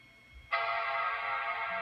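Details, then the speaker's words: Mac Pro desktop after upgrading to a 1TB SSD, cold boot: quiet hum, then a clean, steady startup chord that holds evenly; normal chime, boot now about 5–6 seconds instead of 35–40. "Hear the chime, you'll see the logo, and then it should be a progress bar."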